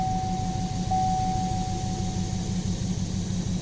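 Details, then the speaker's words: 2018 Chevy Silverado 6.2 V8, cold idle, scan tool shows cylinder one misfire current and history; lumpy uneven lope with regular stumble about three times a second, one dead cylinder misfiring. "cylinder one is misfiring. See that?"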